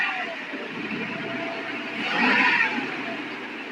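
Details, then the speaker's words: 454 Chevy motorhome V8, all stock, after upper end rebuild, valve cover and air cleaner on: picks up cleanly on throttle and settles back, even and fairly quiet with no knock; small vacuum leak and one noisy lifter remain. "So, with the cover on, the air cleaner on, it's pretty quiet now. You don't hear all that engine noise."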